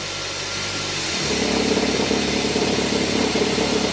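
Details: Car idling as drive or reverse is engaged: engine turns louder and rougher, with an uneven fluttering rattle as the worn accessory belt tensioner oscillates; replacing the tensioner fixed it.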